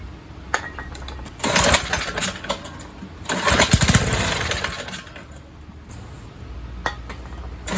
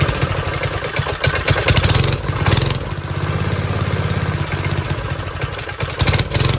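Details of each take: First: 1970s MTD Mud Bug trike with a replacement John Deere engine (believed 5 hp), unused 5–10 years: fires on carb cleaner spray into a ragged second-long run, then dies repeatedly; the carburetor isn't drawing fuel. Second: 1970s trike (believed MTD Mud Bug), believed 5 hp John Deere replacement single-cylinder, dormant 5–10 years; after carb and idle screw adjustment it putters at a steady, even beat with no misses or surging, running fine.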